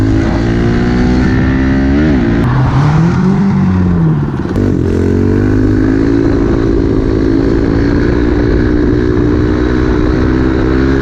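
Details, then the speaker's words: Pit bike (small single) after a tune-up, fresh oil change, new air filter and JB-welded exhaust that had broken, warming up: steady putter with quick throttle blips, no exhaust rasp or leak puff; normal idle. "I'm gonna quit talking, let this thing warm up. Everything got a good little tune up."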